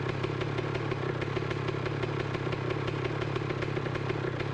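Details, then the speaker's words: 2007 Honda CR125 two-stroke just kick-started, at cold idle: an even, crisp popping beat with no knocking and no needle-bearing noise. Normal two-stroke idle. "well that was easy enough one good kick and it started right up doesn't sound bad uh i know the camera is going to pick up more noise than what i'm hearing but it's not knocking i can't hear the needle bearings or anything good"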